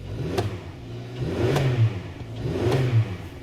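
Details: 2011 Hyundai Sonata 2.4 litre after replacing the faulty starter for a no-crank, no-start complaint: starter spins the engine briskly, it catches within a second, revs cleanly and settles, no dash lights; starting system working properly.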